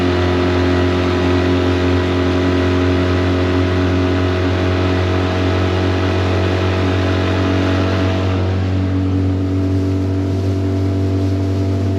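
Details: Tohatsu 9.8 long-shaft outboard on the lake after maintenance, wide-open throttle: strong even drone, steady pitch, no misses or knocks; pumping water well; normal full-throttle running.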